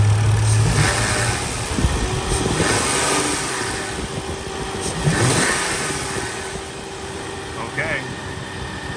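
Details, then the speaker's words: Lexus GS 300, 115,000 miles, that nearly stalled when braking, after cleaning and reinstalling a part: steady idle, clean throttle blips with no stumble; running normally, buildup from age noted. "let's see if this thing's gonna gonna idle properly uh-huh feeling better already let's give it some throttle that's going to actuate that solenoid and we'll see what it does then"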